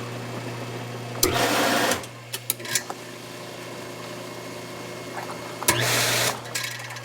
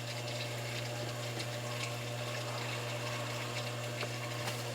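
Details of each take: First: Hot tub circulation pump on a spa whose GFCI breaker trips: a steady, low motor hum, thin and unloaded with no water rush. The pump is air-locked and not moving water. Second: Hot tub with an M7 control system, breaker just switched back on while diagnosing a heater that trips the GFCI breaker: the circulation pump starts with a steady, even low hum and rushing water, no rattles or surging, running normally.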